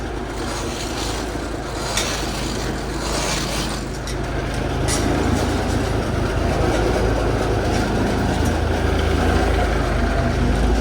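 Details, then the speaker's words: Peterbilt 359 diesel, first start in over a year after Spicer 6-speed and new Eaton clutch install, some smoke: steady rumble builds slightly then holds even, no knocks or misses; running healthy. "oh Smokey God it's good to hear it run"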